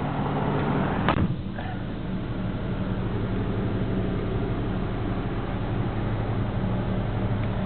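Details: 1977 Chevy K10 with a carbureted 350 V8, started cold at 8°F, backing out in reverse: a low, steady whine at an even pitch above the V8 rumble. Typical gear whine.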